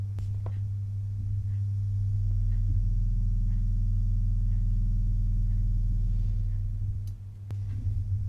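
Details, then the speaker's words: Technics 1210 turntable through amp with volume and loudness turned up, no music: steady deep low mains hum, gone when stylus is lifted; owner suspects transformer hum picked up via vibration, not connections. "But what is the niggle is, if I put the volume up and put the loudness up, it's quiet, and then can you hear that? You can hear the transformer hum."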